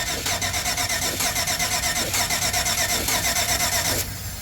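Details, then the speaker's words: 1995 Chevy K2500 Suburban, crank no start: steady starter cranking about one beat per second with no catch or firing, cutting off at four seconds; fuel pump runs but no fuel at injectors and no spark, caused by failed ignition module under distributor cap. "got no spark."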